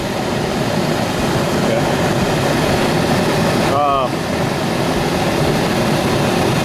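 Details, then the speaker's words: Central air conditioner outdoor unit after a DIY repair: the failed capacitor, swollen from overheating, was replaced because it wasn't giving enough voltage to start. Steady fan rush over an even low hum with no buzzing or stalling; the unit starts and runs normally. "Okay, hopefully you can hear me. As you can see, it's working. And all it was this capacitor."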